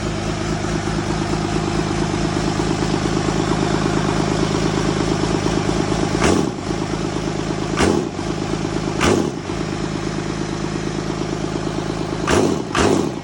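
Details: First startup of a freshly mounted Cummins inline-six diesel in an F450 truck: steady, even diesel clatter at idle with a few brief throttle blips, quick to settle; starts quickly and runs healthy.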